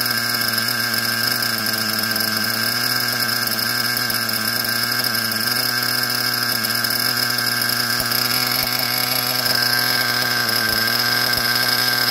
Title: SH .21 Nitro engine running rich